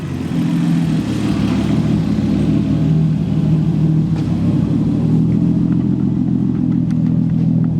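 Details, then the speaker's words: Nissan 240SX S13 with swapped RB20DET, big turbo install, revving after loosening an overtightened belt that had caused a supercharger-like whine: engine much quieter, injectors audible, smooth rise and fall with no knocks; healthy. "so now the engine is a lot quieter like you can even i don't know if you can tell on video but you can hear the injectors firing so that is really good"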